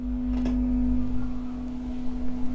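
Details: Assembled amplifier with a constant low-pitched hum from the subwoofer channel; attributed to ground looping or a wiring fault. Amplifier hum.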